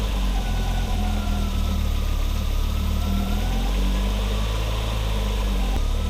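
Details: 1987 Audi 5000 CS Quattro turbo with CIS injection, after new fuel injectors: smooth, steady idle with an even low hum and no stumble or misfire. It no longer stutters in the first 15 seconds after start; normal running.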